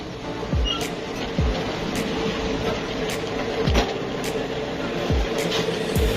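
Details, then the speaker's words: Motorcycle speedometer after greasing the meter drive, wheel spun by hand up to 30 speed: even whirr with soft periodic thumps, no rattle or buzz; earlier noise and needle sticking at 20–30 are gone, quiet speedometer drive. "तो दोस्तों ये देख सकते हैं, ये 30 की speed पर चला गया और ये बिल्कुल इसकी जो आवाज़ थी ये ख़त्म हो गई है।"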